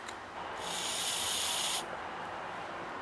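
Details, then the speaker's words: Generator carburetor, disassembled, air blown through fuel line connector: clear airy hiss about a second with float down, silence with float up — needle valve seats correctly; air with float up would mean replacing needle valve. "now you can hear the air now you can't hear the air when the float is up and that's the way it should be"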